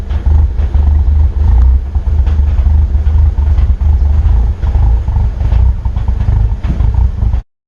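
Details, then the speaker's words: 2002 Audi TT ALMS 1.8T (AMU, 225 hp) with aftermarket intercooler, 3-inch downpipe and exhaust. Rough idle surging and dipping after an engine replacement; limp mode at 5 psi boost. Vacuum leaks suspected, not confirmed. "as you can hear the idol is not smooth and it sounds like there's a few other things that are going to need to be addressed"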